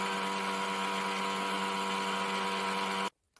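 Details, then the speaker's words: Sony DHC-ZX50 MD stereo cassette deck, running after a connector was reglued: a steady whirring hum and buzz from the transport. Tape B works but tape A doesn't; a tape-path problem is suspected. "I have the tape going, but what the hell is that noise?"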